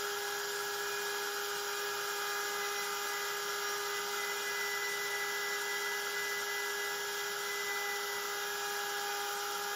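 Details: Genmitsu 3030 PROVer Max desktop CNC with a 1.25 HP Makita router instead of the stock 300 W spindle, cutting aluminium: even, steady high whine with no wavering or rattle; cuts cleanly without chatter.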